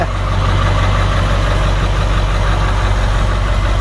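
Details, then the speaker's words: 7.3 diesel swapped in for a 6.9 IDI on a 1989 International S1600, freshly started, high idle set: steady deep drone with a slightly uneven, lumpy beat; owner calls it a little rough. "It's a little rough."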